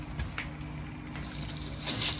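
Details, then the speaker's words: Sump pump starting once power is restored while a 2,000-litre tank is drained: a low, steady hum rises under splashing and clatter; an ordinary pump start with nothing abnormal. "you hear that pump starting to pump water back in right"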